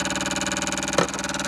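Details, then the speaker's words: Pfaff Ambition 1.5 sewing machine at switch-on: fast, even intermittent rattle from the bottom, feed dogs shaking; feed stitch-length stepper motor failure. "And you can see that the feed dogs are rattling, if you can see that. And what that noise is, I'm going to let it make that noise. Underneath is the stepper motor."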